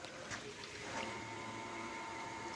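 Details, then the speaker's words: Audi B5 S4 electric intercooler coolant pump powered by battery with no ECU signal, triggered by opening the door: quiet, steady whine with an even pitch, running normally; a switch wired in allows shutting it off. "the intercooler pump that's because it's getting no signal from the car saying that it should be on or off but it's getting battery power"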